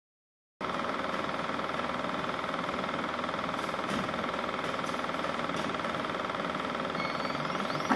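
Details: Uniz UDP resin 3D printer on first attempt printing 28mm miniatures, with hard suction on the resin tray; constant rough rumble pulsing about four beats per second like a small freight train: rumbling noise during printing, cause unknown.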